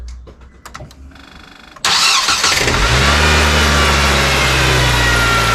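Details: Nissan Sylphy after replacing a bad battery (12.77 V before start), voltmeter checking alternator charging; a few brief clicks, then the engine fires immediately and settles into a steady, even idle; normal start and idle.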